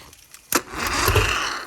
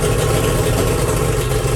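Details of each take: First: 1997 Champion bass boat engine, which had trouble getting on plane, hotwired by crossing terminals with screwdriver: sharp click, then short rough catch that fades without running; hard start. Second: 1997 Champion bass boat outboard after battery hookup: catches on the key and runs a couple of seconds with even, steady low rumble before shutting off; clean start.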